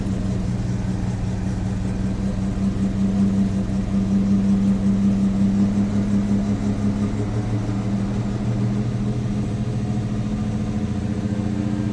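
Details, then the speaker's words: Ford Maverick (GQ) after new spark plugs, 9mm leads, distributor cap and coil lead: started cold on choke, steady even low rumble and smooth idle with no misses or knocks; sounds healthy. "Alright, so this is sort of how I have to start it up with the choke."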